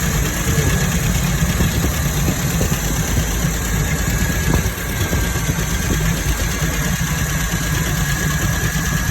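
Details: MGB engine at idle: steady rumble with faint scattered ticks over a constant hiss; engine noise, source unclear.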